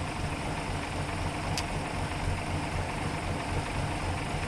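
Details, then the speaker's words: 1933 Hudson Terraplane, restored by the owner's dad and on the road by 1980, idling very slow (about 400 rpm or lower): smooth even low rumble, no tick or rattle, just fan belt and fan-wind whoosh; normal healthy idle. "beautiful it's just there's not a a tick a rattle or anything I think you can just hear the fan belt going around or the wind from the fan that's what's making all the noise"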